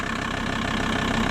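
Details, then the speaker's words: VW T4 Transporter 2.5 TDI AJT/ACV five-cylinder diesel just after swapping Stanadyne injectors for primed Bosch ACV injectors: it started immediately and now holds an even diesel clatter at steady idle, with no hunting or misfire. "I'd say that's a win started immediately they've been primed"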